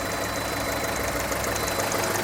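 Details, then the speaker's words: VW Golf Mk4, cold, after fixing the coil misfire and heat shield rattle: smooth even idle with a light quick regular ticking from the charcoal canister purge valve while cold; runs good. Normal cold idle. "that is the sound of the engine it's got the charcoal filter going at the minute because it's cold that's what it's happening she runs good"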